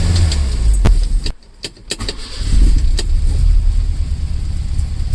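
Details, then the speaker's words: 1968 Lancia Fulvia started for the first time after a long time off the road, using a jump pack. Keys rattle, then it settles into a fast, busy idle that stays very high; carbs and timing still to be tuned. "we have a live fall the earth but a very high idol but it's alright is running which means we didn't mess it up so that's good"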